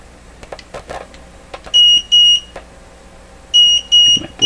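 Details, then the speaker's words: Multimeter probing 6V6 output tube plate voltages in a Westinghouse 981X shortwave receiver: high, shrill beeps in short repeating pairs, each about a quarter second long. The meter is signalling an overload. "meter is saying it's overloaded already you know what i need a different meter right"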